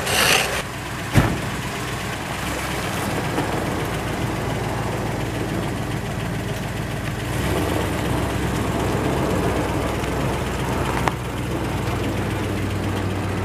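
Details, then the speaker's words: 1960 Plymouth Fury, just cold-started after years unused on stale gas, with the accelerator pump not working and the choke misset: smooth, even idle with no misfire, rising cleanly on a light throttle blip. Running well. "it's running well actually that sounds really good it's not even missing"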